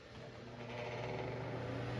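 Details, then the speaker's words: Lasko wind machine fan: low steady buzzing hum building as the motor spins up, stops when speed is turned up, only with motor on; bearings seem fine, owner wonders if shaded-pole motor stator is failing. "oops there you go now you're starting to hear it if you put it up it stops making that sound but it defeats the purpose of having the fan in the first place"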